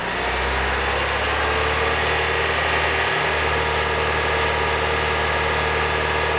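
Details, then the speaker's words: Honda Element with a replacement engine and new exhaust, warming up after first start: steady, even idle with a smooth low hum and no knocks, misses or ticks, and no check-engine light. Only one cooling fan came on. "anyway um it runs and idle's fine"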